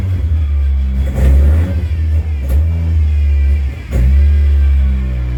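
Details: Car that stalled while driving, traced to the fuel pump, started in neutral: engine fires and holds, then revs and settles cleanly with no stumble or bog; sounds healthy.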